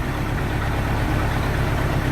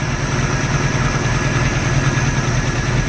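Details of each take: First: 1986 Sea Ray inboard engine during restoration, after a fix for a rough idle and a fuel line leak: a deep, steady, even idle with no lope or shake, described as night and day smoother, roughly 500 rpm. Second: 1986 Sea Ray boat marine petrol engine idling with a deep, uneven lope; earlier noise fixed, rough idle remains; compression check planned as first step.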